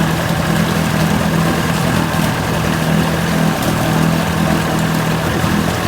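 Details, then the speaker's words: 1980 Chrysler 45 hp outboard brought in for crank-no-start after coil packs replaced and points found faulty earlier; with new L82C plugs it fired and responds to throttle, steady even buzzy idle drone, no stumbling, surging or dropouts. Likely the warm-up lever wasn't used. "this mean this is responsive [Applause] again there's nothing wrong with this i don't know over the season"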